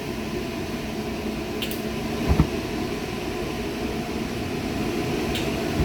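Steady low roar of the burner with a soft rushing flame and a couple of small clicks; burner lit and running normally.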